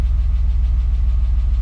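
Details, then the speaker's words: BMW E34 Touring M50B20TU engine, run after sitting dry about two years and an oil pan replacement: steady low idle with a fast, even tick, more noticeable with slight throttle; source unknown, a knock also noted earlier. "one last update if I gave it a little bit cash it's make really weird sounds you hear that ticking sound"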